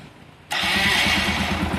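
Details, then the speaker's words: Motorcycle after a rebuild with new camshaft, cam chain kit, rockers and bore kit: it catches within a moment and settles into a steady, even idle with no tapping or knocking. The engine sounds healthy. "இருக்கு பாருங்க sound பக்காவா இருக்கும் எந்த பிரச்சனை இருக்காது"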